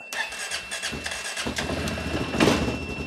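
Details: Mustang with a dead battery after sitting over 10 years, jump-started with an Autowit Supercap 2 batteryless jump pack: the starter chugs quickly for about 1.5 seconds, then the engine fires and settles to a steady idle. Normal cranking and start.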